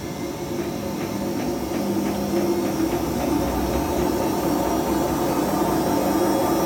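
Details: Whirlpool/Vestel washing machine with bad drum bearings after exactly one year makes a steady roar, rising as the drum spins up, with a faint tick about three times a second. It gets louder but keeps running.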